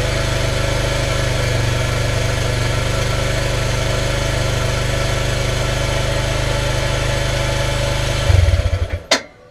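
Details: Yamaha YBR 125 after ignition stator replacement and carb cleaning, kick-started on choke; small single-cylinder thumps along at an even idle for about eight seconds, then shuts off cleanly.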